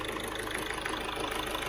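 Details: 2012 car with a turbo noise complaint, after repair: steady, even engine note with a faint regular pulse and no ticking or hissing leak; normal running sound.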